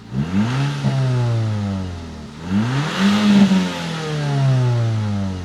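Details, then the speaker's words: Audi S3 from auction, test drive after fresh spark plugs, intake hose redirected to turbo and codes cleared: clean, even note climbs through two strong pulls, no stumble or popping; healthy, misfire-free acceleration. "You know what? I absolutely love the sound of this thing."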